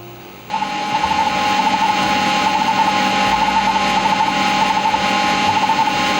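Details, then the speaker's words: Seagate 20MB hard drive in a Sanyo MBC-16 Plus copying files: steady spindle hum with high whine and quick bursts of ticking seek chatter several times a second; normal seek noise, drive reading and writing healthily. "And I'm just going to let you listen to that sweet sound of hard drive doing its thing, copying files. I just love the sound of this drive when it's working."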